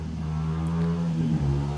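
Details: Neighbor's dirt bike heard in the distance: steady low drone that stumbles briefly once; running a bit rough, and the carburetor is suspected to be a little stopped up.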